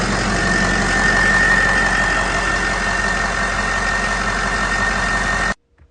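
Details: 2006 Ford F550 6.0 Powerstroke, P1280 no-start fixed by replacing counterfeit IPR valve with OEM Ford parts and refitting a blown standpipe dummy plug: even diesel clatter at steady idle, no misses or knocks, then clean shutoff; healthy.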